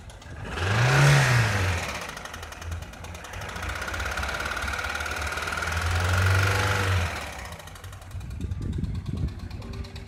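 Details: Toyota 2SZ-FE petrol engine idling then revved twice, light ticking knock over running note; suspected cause clogged oil passages starving valve lash adjusters of oil, giving large valve clearances, not confirmed.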